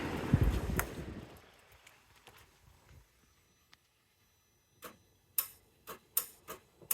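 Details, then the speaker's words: 2007 Mercedes R320 headlamp (HID housing from a 2007 R350), beam shutter wired between pins 6 and 3: about six crisp clicks in a quiet room as the shutter opens and closes; normal. "Anyway, the little shutter opens and closes to allow the beam to be bigger or smaller while also turning on the halogen."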